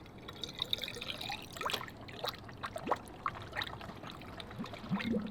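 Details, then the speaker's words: Engine off on the rotary-powered three-rotor RX-7: coolant (plain water) audibly trickles and gurgles freely down into the block past the thermostat, which has had holes drilled in it; air is still trapped at the top of the system. "can hear it draining into the block with the thermostat in which is such a relief"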